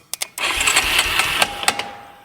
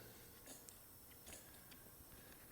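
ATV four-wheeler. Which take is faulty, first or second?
second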